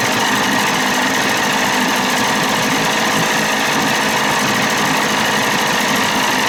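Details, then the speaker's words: 30 hp Evinrude outboard, no thermostat, cold, carb at 1.5 turns out, new throttle cable; runs steadily with a thin metallic scream over the exhaust: faulty starter still engaged and turning with the running engine, not disengaging. "sounds good that starter's screwed up that's what's making all the screaming"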